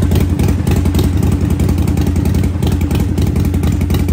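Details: Harley-Davidson Sportster at its 5000-mile service, just after a primary oil change: loud, low, uneven V-twin potato-potato idle with steady pulses and no clatter or tapping; normal idle.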